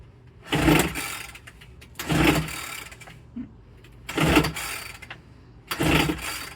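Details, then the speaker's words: Homelite UT08572 30cc backpack leaf blower marked "fix me", carburetor bowl filled: four pull-start bursts about every 1.5 seconds, each dying without catching. Cranks, won't start; fuel or choke setup suspected, unconfirmed. "I would have expected to pick right up if it was going to on that."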